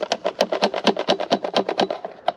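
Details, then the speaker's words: Engwe T14 e-bike: light plastic clatter about seven knocks a second, no motor underneath; controller unsecured inside plastic box under the seat, flopping around on every bump. "they don't have the controller secured to the Box hear that and every time you hit a bump you hear that that thing's flopping around like crazy"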